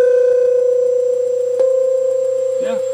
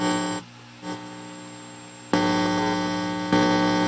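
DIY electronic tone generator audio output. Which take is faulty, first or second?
second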